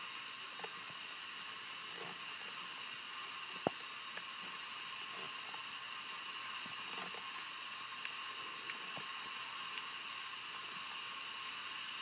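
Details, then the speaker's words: Acura Integra B18B1 engine on a cylinder leak-down test with the cylinder at top dead center: a steady, even air hiss with excessive leakage past the exhaust valve, which points to a head needing rebuild or replacement. "and again this cylinder also has excessive leakage again exhaust Babaji"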